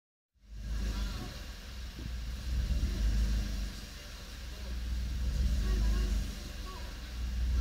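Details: Suzuki Swift Sport ZC32S petrol engine hunting at idle, its speed swelling and sagging every couple of seconds instead of settling.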